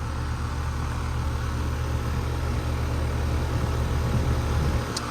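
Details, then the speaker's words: 2007 Bryant Base Series 2-ton R22 air conditioner, Copeland scroll compressor, G commercial fan motor: deep, even, steady hum with no knocking or rattle; faded logo from sun, cold and sweaty; normal compressor operation. "Yeah, really nice scroll sound. G commercial motor."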